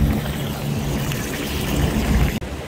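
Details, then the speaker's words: Supermarket cold deli case leaking water constantly from the ceiling: uneven gurgling and air-sucking at the drain; cause was a massive slab of evaporator ice built up over one to two weeks damming meltwater, not a clogged drain. "all the water is dripping out from it inside but if you get close here you can hear it gurgling sucking in air"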